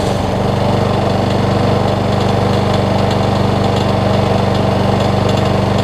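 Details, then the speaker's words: Lawn Boy self-propelled push mower after fitting a new carburetor, which replaced a leaky one with bad seals: steady, even single-cylinder putter at constant speed, no misses, surging or knocks; runs as it should. "all right so the killer is fixed on it carb runs good"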